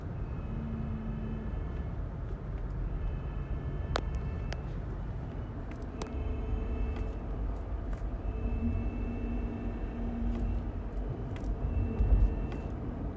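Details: 2017 Toyota Highlander with UA80F 8-speed automatic: faint steady whine above road rumble while driving, shifting in pitch with speed, present across several gears and ranges; final drive suspected, transmission replacement reportedly the fix.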